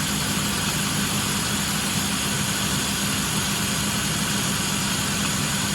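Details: Even idle with a light, fast clicking from the engine bay; heater is hot; owner suspects a failing water pump, not confirmed.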